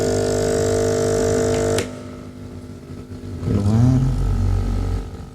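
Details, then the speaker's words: Cheap aquarium-style air pump aerator for a tilapia pond, failed after about 6 months with no bubbles, tested after DIY repair with plastic: loud steady electric buzz then splashing; runs very noisily, air comes out but weakly. "Keluar tapi nggak kenceng."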